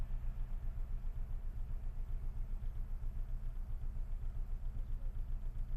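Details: Idle with a deep regular thump about 2.5 times a second, strong shake, mirror trembling and steering-wheel vibration, heard from inside the car; knock and vibration at idle, cause unknown.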